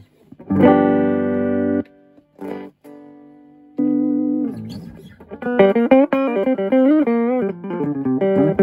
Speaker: All right. Very tight sound. It's working beautifully.